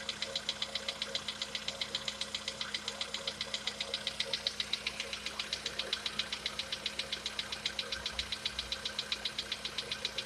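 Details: Sharp, even top-end ticking knock about 2.5 per second over a quiet idle on a VW Polo Sedan with CFNA engine; cause suspected, not confirmed, and the owner tests whether decarbonization cures it.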